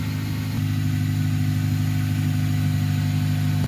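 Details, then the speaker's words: Exhaust after repairing failing bracket-weld leak with QuickSteel ThermoSteel cured about 24 hours: steady even low idle hum with no puffing, ticking or hiss, holding under revs; exhaust sounds sealed. "don't hear any leaks i don't feel any leaks see if it'll handle some revs under pressure"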